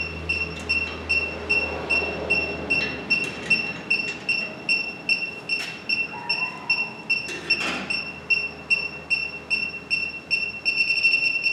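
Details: 1965 Chevy Impala with a recently installed Classic Auto Air A/C system, refrigerant charged: a handheld leak detector's high beeps, two or three a second, quicken and merge into a steady tone at a leaking A/C line fitting.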